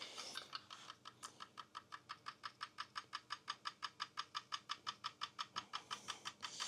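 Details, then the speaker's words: Cobot welding robot on a fixtured part, dry run without welding: crisp, very even ticks about five a second, nothing underneath, as the wire moves in and out to sense torch height around the part; normal touch-sensing. "It's not going to weld. You hear it going tick, tick, tick, tick, tick, tick. Hear the tick, tick, tick, tick noise. So what it's doing is moving the wire in and out, and it's establishing that height."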